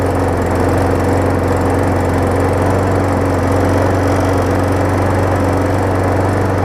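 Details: 2018 Murray big wheel mower after engine swap and recondition, first start: steady, even single-cylinder drone with constant low hum, no misses or knocks; running normally.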